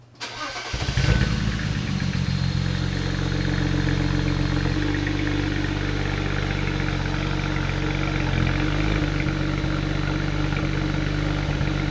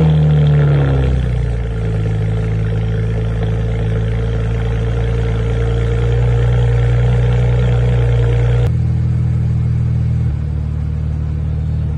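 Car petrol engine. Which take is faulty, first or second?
first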